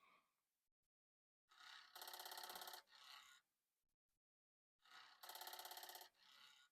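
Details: Commodore 1541 disk drive whose disk won't spin, after cleaning and a load attempted: two bursts of rapid buzzing chatter about a second long with quiet between. Suspected head knocking; disc or drive fault unresolved.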